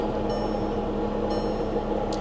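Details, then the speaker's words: Auction-lot vehicle jump-started with a booster pack: a steady droning whine with constant tones hangs over the idle without knocking, an unhealthy noise from under the hood, cause unclear; its transmission is also slow to engage and slips. "there we go ooh that doesn't sound good what is that [Music] noise wow"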